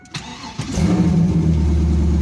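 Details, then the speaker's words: Trans Am after a new alternator was fitted (leaking power steering fluid had killed the old one, then the battery died), started on jumper cables: a brief crank, then a steady even idle. It charges fine and runs better than ever. "Looks good to me. High is better than low. Running better than ever."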